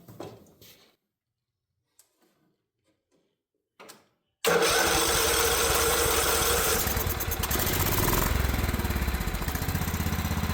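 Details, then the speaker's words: Old Craftsman riding mower, float-bowl carburetor with idle adjusted down, fresh 10W30 oil, spark plug swapped from another engine: faint cranks, then catches and runs loud and lumpy, about four pulses a second, smoking as oil burns off; still rough running. "Don't mind that smoke. It's just that oil burning off, but it's running now. Still pretty rough."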